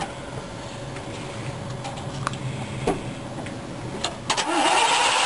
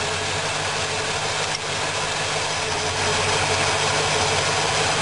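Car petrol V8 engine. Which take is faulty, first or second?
first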